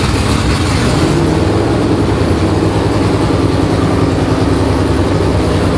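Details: V8 in an S15 on its first start, before exhaust is built: deep steady rumble with even firing and a slightly hunting idle; normal running.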